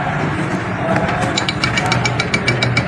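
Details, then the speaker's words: E-bike hub motor on controller with voltage on all three phase wires: uneven ticking, buzzing pulses about three a second over a rough hum, motor cogging and jerking; winding later found burnt. "लेकिन ये मोटर झटके मार रही है। ये देखें, ये आवाज़ स्पीड भी इतनी है और ये झटके मार रही है।"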